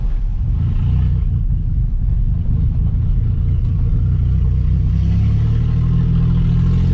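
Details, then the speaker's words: 2004 Ford Explorer, driven home needing tune-up and U-joints: heavy deep rumble from engine and exhaust while driving, far louder than it should be; loud exhaust, cause not yet found. "this thing is super super loud"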